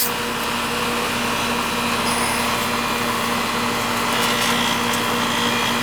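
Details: One of seven residential AC condensers, an old unit previously judged due for replacement, now running after adding freon and a hard-start kit to the aged compressor: steady droning hum, constant low tone, fan whoosh, no struggling or clicking; normal running.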